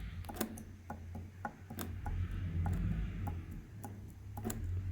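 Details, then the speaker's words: Subaru Impreza 1.6 2008 engine on a bench, 100 thousand mileage, replacement engine; cylinder 1 rod rocked by hand gives sharp, irregular metallic clicks: rod bearing play, bearing shell found with babbitt worn away. "крути стучок в першому циліндрі отак якщо тримать помаленьку о тостуку немає короче вкладиш от стучок маленький"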